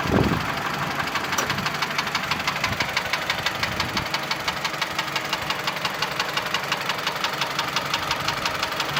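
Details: Mitsubishi Lancer X 2.0 (4B11): sharp, steady ticking knock, about three a second, on top of the idle, cold and hot alike; disappears with air conditioning on, partly fades at higher rpm; cause unknown.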